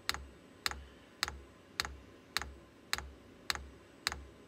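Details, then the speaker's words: VEVOR diesel air heater kit with a long fuel line, not yet primed, glow plug heating: sharp, evenly spaced dosing-pump clicks at about 105 a minute as it tries to draw fuel. The unit then shuts off; priming suspected needed. "ora sta partendo la pompetta vediamo Vediamo se se se pringa E infatti qua sta camminando molto"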